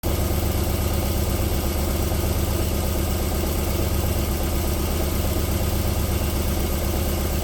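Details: 1994 Alfa Romeo 3.0 24v V6 petrol just after a cold start, idling evenly and silky smooth with a steady low hum and no knock; the knocking returns after about 4 minutes.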